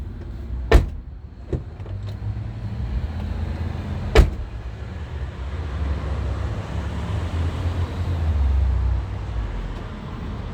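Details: 2008 Honda CR-V front door after replacing the non-working lock actuator as a whole latch assembly: crisp single clunks a second or more apart over a low steady hum as the new actuator cycles cleanly; normal door lock operation.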